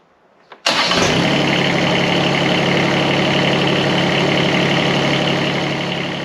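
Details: John Deere X758 diesel after air and fuel filter replacement: brief crank, fires at once and holds a steady, even idle clatter; starts and runs fine.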